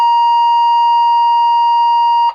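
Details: Landline medical alarm base unit in range test mode: one steady high beep of about two seconds ending with a click, confirming the pendant is in range; tests must be within 30 seconds.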